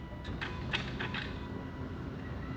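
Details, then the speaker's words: 2009 Aston Martin DBS V12 after DIY maintenance, key-on before starting: half a dozen quick relay clicks, then a faint steady fuel pump hum priming to pressure; a normal system check. "you can hear all the relays doing doing things and system check everything's okay"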